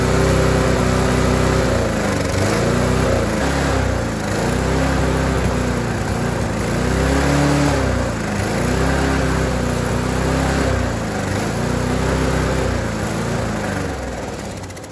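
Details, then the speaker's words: Dumped Rover 4-stroke mower running without its air filter. Revs hunt up and down about every 1.5 seconds, then die away; the governor spring seems to lack tension and is to be tightened: engine surging. "so as you can see that was clearly surging there and to me it looks like I showed you those Springs that are working with the governor it looks like this little spring here that comes off of the governor simply has not got enough tension on it"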